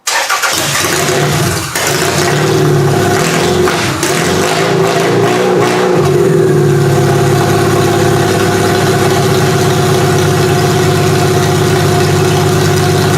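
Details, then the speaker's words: Toyota engine started on QuickStart starting fluid with spark present and timing set, cranks, catches, revs then settles to a loud, uneven, lumpy idle; owner suspects it isn't firing on all plugs, some plugs junk. Suspected rough running. "okay that's really loud so what it sounds like to me is it's not firing on all plugs it sounds like some of the plugs are probably junk"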